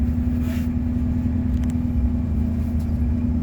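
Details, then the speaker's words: 1988 Ford F150 with the 5.0 V8 and manual transmission, exhaust heard from outside with no throttle: deep, steady V8 rumble holding a fast idle; idle too high, smells rich, headers tick early. Cause unknown. "well I say it does it's still high but uh so the exhaust sounds like maybe you tell anything from that"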